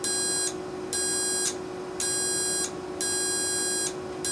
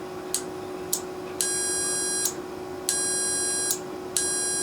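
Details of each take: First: Carrier furnace control board HK42FZ011, heat-side relay powered with meter on continuity: steady beep pulses about once a second as relay pulls in; contacts close and relay works. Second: Relay from a Carrier furnace control board HK42FZ011, whose relays burnt out from overheating caused by a clogged filter: multimeter continuity beep cuts in and out after tapping; stuck internal contact, intermittent connection, relay needs replacing.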